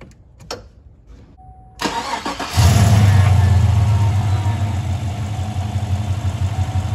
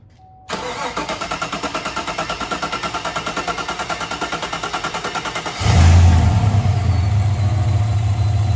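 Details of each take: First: 2015 Chevy Silverado 5.3L V8, about 175,000 miles, fuel pump fuse removed before high-pressure fuel pump replacement: brief crank, catches at about 2.5 seconds and holds a steady low idle, not stalled yet. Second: 2015 Chevy Silverado 5.3L after high-pressure fuel pump replacement for leaking seal: about five seconds of even cranking, three pulses a second, then catches into steady, smooth idle.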